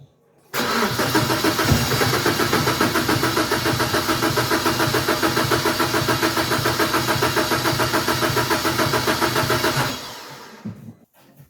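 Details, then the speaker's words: BMW 116i E87 N45 1.6 engine after hydraulic lifter replacement and cam cover reassembly, fuel pump fuse removed: starter cranks evenly for about nine seconds without firing to prime oil; oil pressure came up, normal cranking. "okay um that seemed okay the oil pressure came up a little bit on cranking um so that sounds good"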